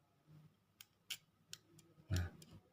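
Faint, crisp clicks at a steady blink rate in a quiet room, with some handling noise; an original flasher relay working normally.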